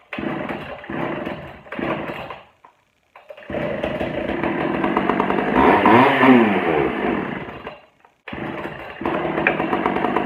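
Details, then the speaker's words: Pioneer P41 two-stroke chainsaw, long unused, just after carburettor cleaning, on choke. It sputters, cuts out, catches, and revs surge and sag unevenly. Rough running. "okay we're going to adjust we're going to open up the low just a bit more and see if we can keep it running better"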